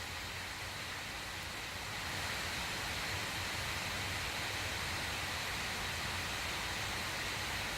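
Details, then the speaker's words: Alienware Area-51m laptop (i9-9900K, RTX 2080) switched from performance to the full-speed thermal mode: an airy whoosh that swells after two seconds, then holds level, loud but normal; normal full-speed fan noise. "it's not getting much more louder than this now and that's not very bad it's not much louder actually Dan"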